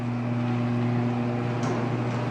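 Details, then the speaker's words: Linear garage door opener (model unknown), reconnected after yearly lubrication: smooth, steady low motor hum with no grinding or squeal. Noticeably quieter than before the lubrication. "Okay, and just listen to that difference after you lubricate it. It's a lot nicer."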